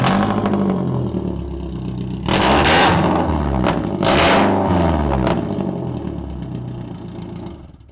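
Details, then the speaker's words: Four-cylinder drift car (hydro handbrake, bucket seats, roll cage) bought runs-and-drives, started and revved: two sharp revs with a raw, very loud exhaust bark, called way too loud; exhaust leak or open pipe suspected. "We'll go ahead and start this one up for you guys because this sounds a little rowdy."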